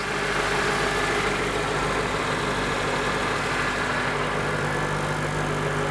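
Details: Honda Element engine idling after exhaust, serpentine belt, spark plugs, O2 sensors and fluid service, cooling system pressure-tested: steady even hum, no ticking, puffing or rasp; normal idle, only tiny acceptable leaks.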